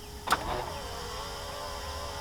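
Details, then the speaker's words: Power-folding mirrors with junkyard switch, owner-wired: switch click then soft, even electric whir as mirrors fold; mirror motor working properly. "and they fold back and then you whenever you want to unfold them just press the switch again and done deal it's pretty nice"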